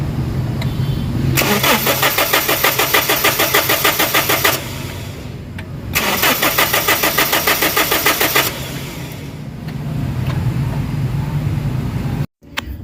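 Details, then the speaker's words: Toyota Innova common-rail diesel, code P0351, crank no start: two long cranking bursts with an even starter chug about three beats a second, never catching; no fuel supply or pressure at the common rail. "so nakita nyo guys na walang supply mismo yung kanyang common rail pressure, walang pressure. So ibig sabihin walang supply ng gasolina, so wala talagang spark."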